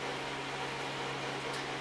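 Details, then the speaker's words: Overheating GTX 760 graphics card after repair, fan forced to full speed of about 4,000 rpm: a loud, even airy rush with a constant low hum and no rattle or grinding. Temperatures drop quickly; fan is healthy but loud. "we can see the fan speed s goes Wow all the way up to 4,000 rpm the temperature is quickly cooling off so I would say that this fix here did work it's a loud one but it works it is definitely loud"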